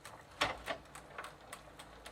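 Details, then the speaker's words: Sturmey Archer 3-speed hub on Gazelle bicycle after WD-40 treatment, coasting in third gear: light, sharp ticks about three per second as pawls are overrun by the hub shell; normal freewheel pawl clicking. "And you can hear the palls being overrun by the hub shell. Not a sound I was a familiar to."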